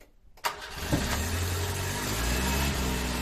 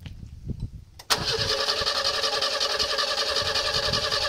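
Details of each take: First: 1970 Renault R6: a brief crank catches quickly and settles into a steady, even idle, starting much better than before. It was then run to warm the carburettor. Normal start. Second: 1970 Renault R6 revived from storage: the starter churns steadily for ten seconds but the engine never catches despite fuel pressure, air and starting fluid. Cleaning the distributor cap wasn't enough; ignition parts seem to need replacing.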